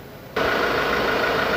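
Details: 2016 Ford Ranger T6, after repair for an AC compressor not engaging with full refrigerant charge: a quiet start, then a steady even engine-bay hum with no knocks or squeals; idling smoothly with the AC compressor running normally.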